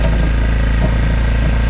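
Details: Go-kart that cranked but wouldn't start, suspected dirty carburetor; after carb cleaning and ready to drive: small single-cylinder engine at a steady, even idle with no misses or stumbles, running smoothly and healthy.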